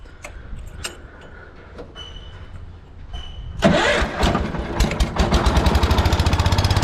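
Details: Lawn tractor with 14 hp Kohler single-cylinder engine, hydrostatic drive, original 2-gallon tank, new battery and redone voltage regulator: brief crank, fires, then a steady even thump about four beats a second. Runs well; normal start and idle.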